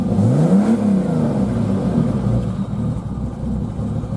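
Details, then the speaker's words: 1990 Jeep Cherokee Laredo XJ, 4.0L six-cylinder, loud exhaust, has a running issue and usually tries to die: blips up cleanly and settles to even rumbly idle, no stumble or stall; revs freely. "But this one will rev up and drive all fine."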